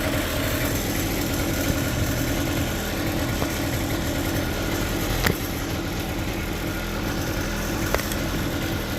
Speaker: It's got to be in the clutch because, like I said, the motor it starts pulling and then it just stops pulling.